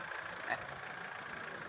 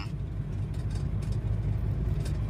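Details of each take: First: Mitsubishi Strada Triton GLX 4M40 diesel after nozzle repair for low power and black smoke: quiet, steady idle with even rhythm and nearly no vibration. Power is restored and smoke is fine on the road test. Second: Mitsubishi Strada Triton GLX 4M40 diesel with low power and thick black smoke, idling while each nozzle pipe is loosened in turn: low, faintly uneven, shaky clatter. Vibration change is felt mainly at cylinder 1, so nozzles are suspected unequal or weak.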